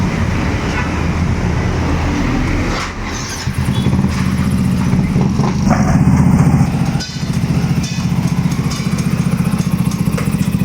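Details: Mio 125 scooter that stalls at low rpm in traffic, after trimming the spark plug lead and temporarily wiring the fuel pump: fires up into a steady, even thump with one brief dip, then runs cleanly; normal running.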